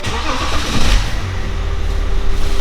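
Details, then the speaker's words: 2011 BMW X5 35d M57N2 diesel at 130k miles after broken timing chain repair, fully assembled, near operating temperature, no fault codes: it starts straight away and settles into a steady, even low rumble with no rattle or knock; a normal start. "Let me show you under the hood. And it's running smooth in my opinion."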